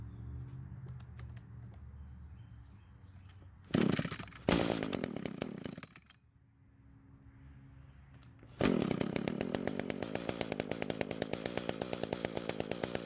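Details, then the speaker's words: Echo two-stroke trimmer, attachment off, after replacing the muffler, top cover and spark plug: snaps up cleanly to high revs, drops back, then holds a strong steady buzz. Normal revving, no-rev fault fixed. "we just want to make sure that it does rev up better than our test run from earlier"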